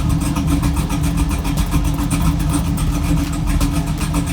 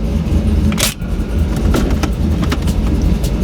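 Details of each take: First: 2002 Chevrolet Camaro SS V8 idling after a faulty idle air control valve was fixed: deep rumble sitting very low and slightly lumpy, barely holding idle, because the existing tune was set too low. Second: 2002 Camaro SS V8 idling after a long drive, tuned with HP Tuners to an 850 rpm target to fix a high idle that was previously about 1,100 rpm; low, steady burble holding 825 to 870 rpm with a couple of brief clicks; normal idle.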